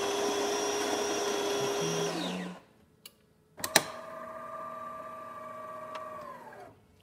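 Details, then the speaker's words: DeLonghi Magnifica espresso machine after replacing failed transmission that jammed the infuser, plus new generator gasket, cleaning and descale; espresso test: motor whine winds down, click, then even constant pump hum, no grinding; normal brew cycle. "Start with one shot of espresso, then some hot water and steam."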